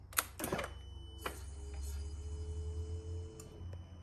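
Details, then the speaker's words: 2008 Yamaha R6 crashed-bike rebuild, fuel tank and fuel pump reinstalled: a few clicks at key-on then faint steady whir for about two seconds that stops by itself; likely the fuel pump priming. "we're gonna see if maybe the fuel pump primes and if she starts"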